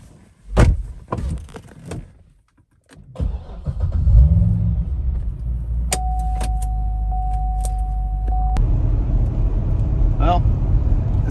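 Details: C6 Corvette after tightening the loose 15 mm targa top bolts: keys and door handling, engine start and brief chime, then an even cabin rumble on the test drive with no roof creaks or rattles.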